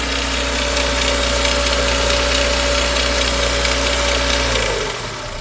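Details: Renault Megane 2 1.6 16V: metallic noise under acceleration from the engine's left side near the oil dipstick and timing compartment, like a loose nut; fast metallic ticking rattle about four per second with faint whine; source unconfirmed.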